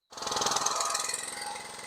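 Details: Briggs & Stratton 6.5hp single-cylinder on a Craftsman 21" mower after carb clean, new plug, air filter and tightened exhaust: quick, even stream of pulses with no misses or knocks, running cleanly.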